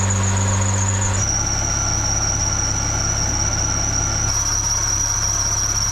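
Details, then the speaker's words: K-swapped supercharged K20 Civic wagon with K24 crank pulley; steady high-pitched squeal over the engine, holding then stepping slightly lower, a slipping serpentine belt. "I do got to get rid of that belt whistle"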